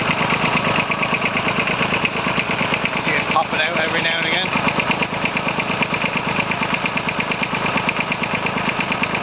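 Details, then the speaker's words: Circa-1950s Massey Ferguson 35 three-cylinder diesel with a leaking fuel pump, idling: steady chatter with an occasional stumble as one cylinder drops out, with smoke. Intermittent misfire on the same cylinder even after swapping injectors; cause not confirmed. "I'll let you hear when it starts it start to sounds like it's misir which I think it is"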